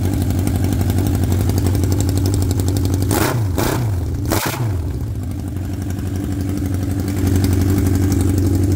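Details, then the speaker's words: 1979 Honda CB750 F Super Sport four-cylinder first start, rusted exhaust cut off: loud raw crackling blat with rev blips settling to idle; running on open pipes with no exhaust. "oh yeah I got no exhaust on it because you can see the exhaust is rusted out so so I just cut the pipes off and see if I can get some pipes to match oh yeah"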